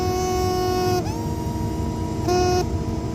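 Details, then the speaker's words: Furnace with MERV 8 filter: loud steady whistle over low blower rumble, from air sucked through a specific gap in the blower cabinet, worsened by increased suction once the filter is installed; likely fix is covering it with foil tape. "But in this case, we've actually got some air whistling out of a very specific spot, which I just found."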